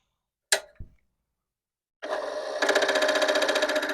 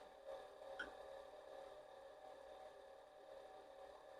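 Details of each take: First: Commodore PET 4040 dual disk drive with replacement main board, at power-on: two sharp clicks then buzzing mechanical chatter about four per second; cause unknown, suspects drives, small board, motherboard, power supply/capacitors or cable. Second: Commodore PET 4040 dual disk drive, fitted with a replacement main board and showing strange faults, recorded with a microphone inside the drive while copying: a steady motor hum with regular stepping clicks and seek clacks; it sounds fine.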